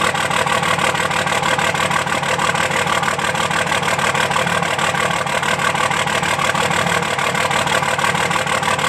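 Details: 2005 Dodge Cummins diesel at idle with a lopsided, regular lope about three beats a second: one injector not firing, leaving a dead cylinder.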